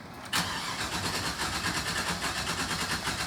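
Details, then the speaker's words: 2012 GMC Savana van with code P0300 misfire, cranking with the pedal floored to cut injection. The cranking cadence is uneven, with one stroke per cycle spinning noticeably quicker. One cylinder has no compression. "There's no compression in that cylinder."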